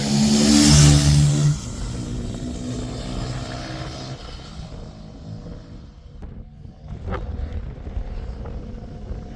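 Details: Suzuki RE5 rotary motorcycle, outdoors after carburetor overhaul and setup: a crisp rev dropping back to a smooth, even low idle with no misses; normal idle with carburetor set up correctly.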